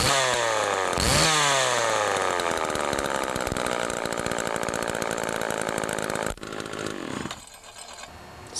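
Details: Homelite-made Duramark Super 2 chainsaw after oiler repair with new duckbill valve: crisp two-stroke buzz revs up and holds steady, then drops off; runs smoothly and evenly.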